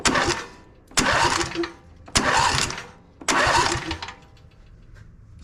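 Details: John Deere E140 riding mower, which was dead with no noise: four quick strong cranking bursts spinning the engine briskly and evenly, no clicking or whining, starter working properly.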